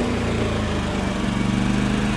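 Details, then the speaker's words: Champion 3400-watt inverter generator after carb cleaning, loaded with a space heater on max (about 1500–1700 W): steady, hard-working drone with constant low tone, no hunting or misses; normal running under load, checking inverter board output. "so I don't know if you can tell but I have that space heater on max that's about 1500 to 1700 watts and as you can hear the generator is actually working pretty hard here"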